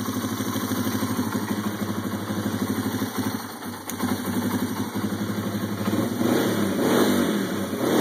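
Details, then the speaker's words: Yamaha TW200 single-cylinder motorcycle, just reassembled after setting valve lash (intake .002-.004 in, exhaust .004-.006 in). An even thump at idle with a few light throttle blips and no ticking or knocking on top; no funny noises, it runs clean. "all right we got her back together fire it up see how she sounds no funny noises that's always good"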